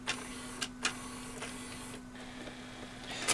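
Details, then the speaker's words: RCA RS2654 shelf system CD, after disc-sensing IR LED repair and pot adjustment: repeated clicks and whirring seeks over a hum, disc never read; original pickup suspected defective. "we haven't tried this one yet see if it reads it know it's having the same problem it's trying though"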